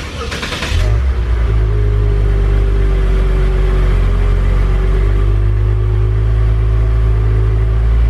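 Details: Honda S2000 startup with throttle blips, exhaust intended to give the owner's desired sound: loud deep rumble climbing smoothly with each rev and dropping back evenly, no rasp, rattle or leak; normal exhaust.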